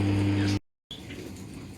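A steady low hum drones for half a second, then cuts off sharply into quiet; the dishwasher hums, cause unknown.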